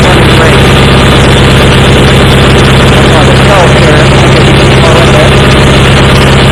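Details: Approx. 1976 Sears GT18 tractor (a commenter says 1978–79), Onan 18 HP twin, at 52–54°F with choke off, after carburetor cleaning and fuel pump rebuild. It previously ran rough; now a steady, even idle with a constant low hum and no misses, normal running.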